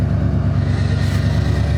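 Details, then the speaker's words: 1990 Ford F-150 Lariat 4WD, 351 Windsor V8, after a short drive: fast steady deep rumble stuck near 1100 rpm, won't drop from fast idle; IAC and vacuum lines fine, owner suspects ECM capacitors. "kick it down here it just actually won't hardly come off that fast idle it's actually not doing too bad right now after a short drive it'll be stuck at about 1100 RPM"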